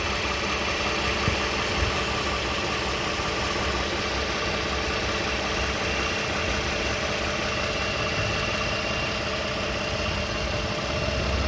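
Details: 2015 Toyota Sienna SE with 71k miles at idle: a dry, fast diesel-like clatter over the engine note; the source of the rattle is unknown.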